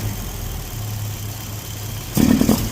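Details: Datsun Roadster converted from carb to EFI on an MS3x, no idle valve yet, warm-up enrichment being tuned around 125: steady, even low cold idle without stumbling, then one brief throttle blip; warming up smoothly.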